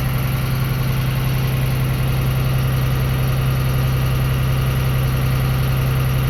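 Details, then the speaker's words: Transit school bus diesel (Franklin Township, Indianapolis) during CDL air brake test: brakes pumped down to about 90 psi, high idle switch on. Raised, steady, even low drone, no knocks, while the compressor rebuilds air until the governor cuts out at 120–140 psi with a psh; normal high idle. "And then I'm going to hit the high idle switch to let the air governor build back up, and then the governor is going to kick out between 120 to 140 psi, and then you will hear a psh sound."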